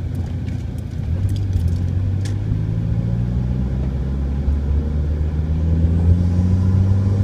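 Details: Humming/whining harmonic noise on an SRT-4 Neon whenever the steering wheel is turned any amount off center, low drone rising in pitch with road speed; owner suspects a bad wheel bearing, unconfirmed.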